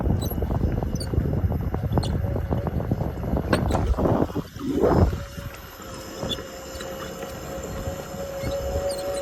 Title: S18 Chirping Noise 🐥